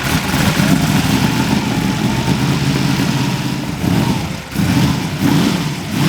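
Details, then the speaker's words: Nissan R35 GTR 1,500 bhp V8 drag car, first start after about six to seven years, initially flooded: deep lumpy V8 burble settling into an even idle with light blips, running cleanly, no knocks or misses. "it was alright when it sounds good. It I idles can't nice."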